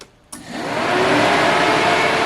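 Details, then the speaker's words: Cooling fan commanded on from a laptop via a budget Multidiag DS150 bi-directional scan tool: quiet, then a click and a spin-up into a steady even whoosh; the engine cooling fan works normally. "With just one click on my laptop, I can test my lights, my turn indicator, lock my car, or even test components in my engine like engine cooling fan,"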